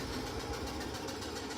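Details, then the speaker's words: Servis Gem 600 washing machine spin cycle, tested after fitting a replacement door handle. Loud, steady rushing roar winding down evenly, with no knocking, scraping or grinding. Normal spin cycle. "It's like a jet engine. You hear that? Like a fucking jet engine. Beautiful. I love that sound. So calming."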